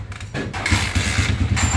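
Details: TMX 155 engine after overhaul replacing the connecting rod, two bearings and timing gear: it catches quickly and settles into a quick, even low thump with no knocking or rattle; a normal start and idle.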